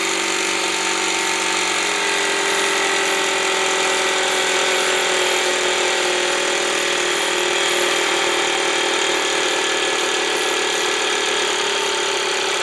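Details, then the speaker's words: Small pancake air compressor, brushed motor, run at full speed through a BN-LINK plug-in fan speed controller: loud, steady, harsh high-pitched motor roar, no knocks or surges; always this loud and slow, working normally. "this thing is Extremely Loud it's slow it's noisy but it works and it always was that way so it is what it is"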